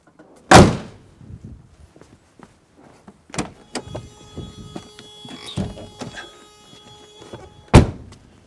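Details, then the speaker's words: W123 Mercedes 240D hood after fixing the latch: crisp single clunks as the latch lets go, the lever comes out and the hood lifts and drops shut with no groaning or scraping; latch now works as it should. "Hood pops up, lever comes out. That's the way it should be. Then I just pull the lever, and up she comes with no groaning, scraping like you heard earlier."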